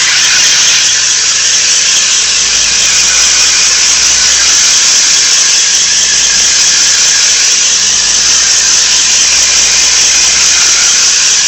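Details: 1992 Nissan 300ZX with a loud, steady high-pitched engine-bay squeal that stays the same regardless of revs. It is louder at the front right facing the car; the cause is unknown.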